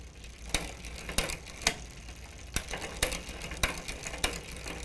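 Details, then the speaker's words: Huffy multi-speed bike with an over-tight low-gear limit screw on the rear derailleur: sharp metallic chain clicks about every half second as it tries to shift into first gear but can't; fixed by loosening the screw. "so you can hear the rattling there it's like it wants to change gear up in into the first gear but it's not allowing it"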